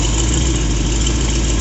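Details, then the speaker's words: 1966 Chevy 396 bored to 402, mild RV cam, Edelbrock 750 carb, run on a stand after break-in. It has good oil pressure and is leaned for idle at about 780–800 rpm with base timing about 11–12°. The idle is a deep, even lope with no knocks; healthy. "Oil pressure's good. Vacuum, I got it leaned out as much as I can for idle."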